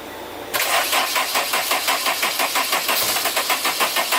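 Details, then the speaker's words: Turbo Honda S2000 on E85 after replacing worn and pinched injector seals, about 80°F day: engine catches cleanly after brief crank and settles to steady even idle, fuel pressure about 50 psi running, no leaks; healthy start. "oh yeah boys she's alive so chris has had 50 psi right now pretty good no leaks sounds healthy"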